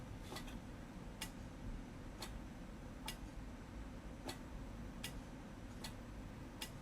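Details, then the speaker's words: QRM Eliminator phase-reversal box keyed by a foot-switch cable into a dummy load: sharp relay clicks about once a second over room hum, the normal transmit relay grounding the antenna. "hopefully you can hear that relay clicking uh so that's my indication that it is putting it into transmit mode"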